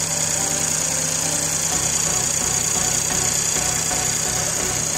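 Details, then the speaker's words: Škoda Octavia 1.0 TSI three-cylinder, 85 kW, cold start at -15°C, hood open, phone mic: steady idle with even pulse and high injector tick, no knocks or stumbles; started without any problem. "Tak takhle si přede příválec. Nastartoval úplně bez problému."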